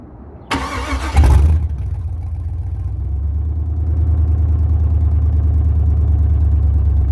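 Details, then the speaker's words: LS 6.0 V8 swap, first start-up: short crank, catches quickly, then very loud, deep, even idle; starts and runs healthy. "this thing is ridiculous loud so I'm gonna start again one last time give it a couple quick little revs see if you can hear better"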